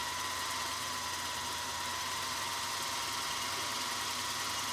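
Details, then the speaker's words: Singer 222K Featherweight sewing machine motor, 0.4 A, running as if winding a bobbin, clutch disengaged: steady high whir that flutters slightly up and down in speed; possibly dirty motor or brushes, cause not confirmed. "now i'm holding it steady but listen it kind of flutters up and down a little bit did you hear that drop so we have a little bit of a flutter and that could be a matter of cleaning this inside of the motor it could be uh motor brushes it could be a variety of different things"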